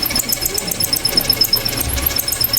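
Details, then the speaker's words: Luxor sewing machine: fast, regular high-pitched cricket-like chirps with each stitch cycle over a light whir, caused by dry, unoiled parts under the cover; oiling them silenced it. "This is the cricket that's making noise. See? This is really dry. That's why it's noisy, because it's dry."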